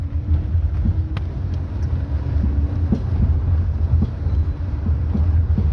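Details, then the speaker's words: Jeep Renegade on a test drive: sharp, irregular thuds come through the road rumble over bumps. The knock is from internal play in a worn front shock absorber, which was removed for analysis. "carro muito gostosinho de andar assim tirando a exceção esse toque toque aí chato é alto hein"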